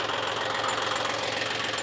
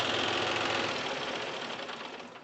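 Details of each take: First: John Deere 5105 diesel tractor after full engine repair for overheating, right after first start on one crank, no smoke: steady even diesel clatter with no misses or hunting: normal idle. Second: John Deere 5105 diesel tractor with overheating and oil mixing into coolant, thermostat already removed; just after start-up, a quick uneven ticking rattle about three or four a second through the idle: engine rattle at idle, sound judged not right.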